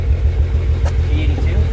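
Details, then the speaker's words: BMW 135i at low idle with an uneven, lumpy thump and the whole car vibrating; code reader shows a cylinder 5 misfire, traced to a failing ignition coil. "yeah so it's definitely misfiring you know if you guys can hear it it's misfiring that's for sure"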